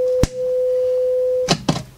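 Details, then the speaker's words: So yeah, got about a volt output there, and as we turn the volume up, and that's a nice clean sine wave at the moment. "So yeah, got about a volt output there, and as we turn the volume up, and that's a nice clean sine wave at the moment."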